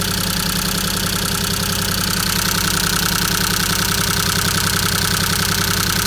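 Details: Maruti 800 DX 5-speed MPFI petrol engine idling with an uneven, lumpy beat and a skipping pulse about two or three times a second; a misfire at idle.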